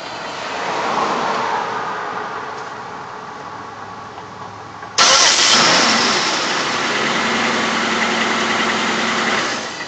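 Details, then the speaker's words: 2004 Pontiac Grand Prix at engine shutoff, A/C off: a sudden jump in hiss, then a steady low hum with a spinning, rubbing whir as the engine winds down. An accessory may be dragging; alternator suspected but unconfirmed, belt removal planned. "as you can hear it's kind of a spinning rubbing sound I'm not really sure what exactly it might be"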